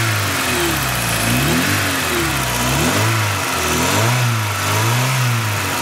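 Engine blips up and settles back cleanly several times, pitch rising and falling smoothly with no misses or knocks; sounds healthy.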